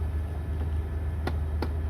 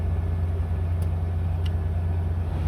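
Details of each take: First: 1999 Toyota 4Runner (3rd gen) running: sharp, evenly spaced clicks about three a second over the engine and blower hum. The HVAC is stuck on cold, apparently due to a failing blend door actuator (servo sub-assembly), which is to be replaced. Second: 1999 Toyota 4Runner after replacing the blend door actuator (sub servo), which had been stuck on cold and clicking: steady engine and blower hum with no actuator clicking, normal HVAC operation.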